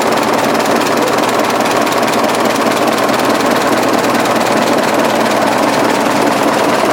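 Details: 1920s 45 hp General Electric genset, serviced after over 10 years unrun, just started at half choke with governor being adjusted: even, fairly quick mechanical patter over a steady running note, no misses or heavy knocks; runs healthy.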